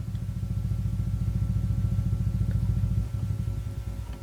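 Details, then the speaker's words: 1965 Ampeg Jet J-12T tube combo amp (6BK11, 7591 valves) being serviced: deep, regular low thumping at roughly three to four beats a second through the speaker, a low-frequency tremolo oscillator fluctuation amplified through a valve; unclear whether original. "it's thumps badly because it's some fluctuates in the input here now a low frequency which has being amplified through this valve here"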